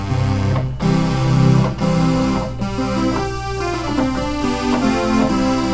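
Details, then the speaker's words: Oberheim OB-8 analog synthesizer, retuned and played in the lowest octave: chords play clean and steady, with no beating or fuzz. Voices are in tune here, though the problem board distorts and drifts out of tune in higher octaves. "it sounds fine"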